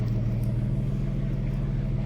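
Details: Peugeot 406 V6 manual after fixing a cylinder 5 misfire that had caused limp mode: smooth, even low idle with steady beat and no stumble; misfire and limp mode gone.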